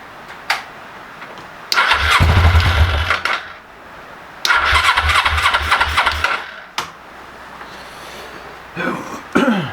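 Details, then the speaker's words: Old Suzuki GS500 twin starting for the first time in years, petrol squirted into the carbs by syringe: two short cranking bursts catch, fire roughly and die each time. Fuel starvation; gunk was later cleaned from the carb bottoms. "well I pulled the carbs out and cleaned a bunch of gunk out of the bottom of them hopefully they work now"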